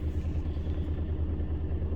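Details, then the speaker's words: 2004 Toyota Tacoma SR5 2.7L with code P0304: low, lumpy, very shaky idle with uneven pulse about four times a second, engine rocking visibly; cylinder 4 misfire. "el motor anda muy tembloroso Te vamos aquí a prenderla Para que vean"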